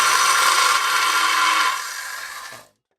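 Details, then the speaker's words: Skilsaw Model 574 circular saw running unloaded before maintenance: harsh, gritty grinding over motor whine, then coasts down and stops; gear grinding from dry gearbox, to be fixed by disassembly and regreasing. "Yeah, so as you can hear, a fair bit of grinding there."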